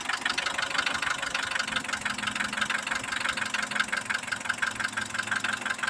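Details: Mitsubishi Pajero iO with 4G94 engine at idle: fast, light ticking knock about two per second from inside the engine; cause unknown, owner asking for advice.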